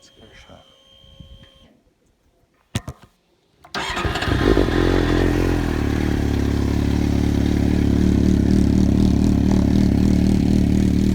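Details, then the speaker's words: Triumph TT600 motorcycle after IACV hose replacement and reassembly: took a while to start, then fires and settles into a steady, even idle of about four pulses a second with no misses; healthy running. "Hey guys, got the bike back together again, and it actually took a while for it to start up. I was concerned that I had something plugged in incorrectly, but she seems to fire up nicely now."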